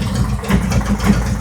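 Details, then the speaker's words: 2018 Harley-Davidson Road Glide, Milwaukee-Eight 114 that ran hot with poor mileage, after Cycle-Rama CR480MT cam and ThunderMax re-tune, warming toward 180°: low, relaxed loping idle with an even beat, no stumbling or ticking; really quiet and calm. "Engine is really, really quiet. Just sitting there spinning around. Just as calm as it can be, man."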